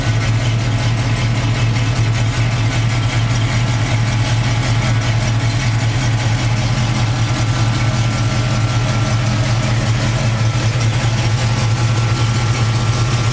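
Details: Warm 1991 Chevy K5 Blazer V8, recently fitted with a new Stewart high-flow water pump: smooth, steady low rumble with an even beat and no knocks or misses; normal warm idle.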